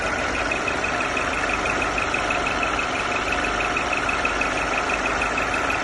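Steady high whistle sits over a smooth idle and never wavers; something on this engine is whistling, source not yet pinned down.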